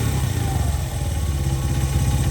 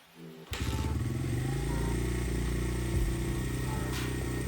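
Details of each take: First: Honda XR100 carbureted single after sitting five years: idles steady and even with no misses after the mixture screw was eased from 1.5 to about 2–2.25 turns and the idle lowered; sounds healthy, still before warm-up. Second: Honda XR100 carbureted single-cylinder four-stroke, kick-started after sitting over 5 years: catches and settles into a fast, steady idle that is deliberately set too high before being lowered.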